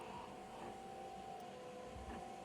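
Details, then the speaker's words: Secondhand 4moms MamaRoo (UppaBaby Soma) motorized bassinet after fix, loosening the clear gear housing to relieve pressure on the gear: soft steady even hum with no squeak or ticking; running quietly. "To summarize, the only crucial thing was loosening that clear gear housing a little bit to relieve the pressure off the gear. My bassinet is running quietly now, and I hope yours is too."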